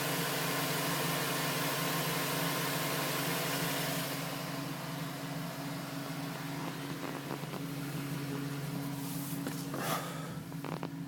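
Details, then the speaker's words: 2010 GMC Sierra with 2000 miles, which tapped after start-up (owner wondered about piston slap). Once warm, the tapping stopped at 5 minutes 42 seconds, leaving a steady, even low idle hum. "Tapping finally stopped at 5 minutes and 42 seconds. And that's how it should sound."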